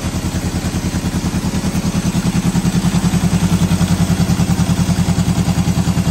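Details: 1973 Honda CB750 first start after sitting 15 years, non-start traced to worn-out kill switch: even steady four-cylinder exhaust pulse with no knocks or misses; normal running.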